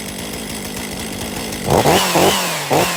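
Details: 2023 Stihl MS500i 79cc fuel-injected chainsaw, after a new NGK CMR6H plug: it idles, then blips cleanly to full revs and drops back without stumbling. The flooding has cleared and it runs properly.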